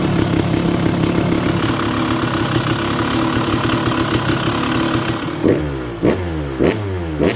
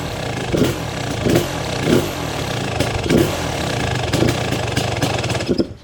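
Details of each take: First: Freshly restored Kawasaki KX250 two-stroke with sleeved cylinder, first start with the idle screw way out: crisp crackle holding a steady idle, then four sharp throttle blips rising and dropping back cleanly; normal idle and revving. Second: Kawasaki KX250 two-stroke after complete restoration, first start after five primes: runs fast and crackly with repeated blips about every second, never settling low; high idle because the idle screw is set way out.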